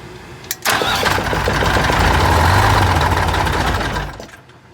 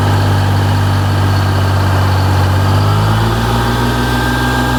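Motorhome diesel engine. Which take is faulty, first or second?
first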